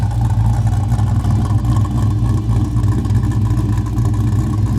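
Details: Oldsmobile Cutlass with a small block Chevrolet V8 on its first drive, before a broken valve spring was later found: deep, lumpy burble swelling with each throttle blip, clean pickup with no knock or miss.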